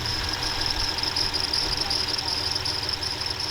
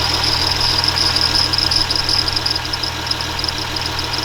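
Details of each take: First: 2006 Ram Cummins diesel, newly completed, at idle: steady high-pitched serpentine belt squeal riding over the idle, still squeaking after deodorant stick applied; belt squeak at idle. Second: 2006 Ram Cummins diesel, newly completed truck: high chirping from the belt at first dies away after deodorant stick applied, leaving a steady, even diesel idle with no belt squeal.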